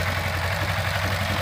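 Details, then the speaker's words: Kawasaki Ninja 250 FI after fixing a faulty cam chain tensioner (owner's complaint: clattering at first morning start): steady, even idle with smooth low rumble, ticking gone; cam chain now quiet. "Oke Nah ini dia oke ya suaranya langsung rubang ya hilang ya suara ketek kecekceknya"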